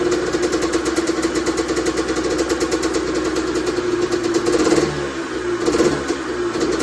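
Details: Honda CR125R two-stroke, first start after a full teardown and top-end rebuild over winter: crisp even buzz that picks up cleanly on throttle blips and settles back without misses; engine runs normally.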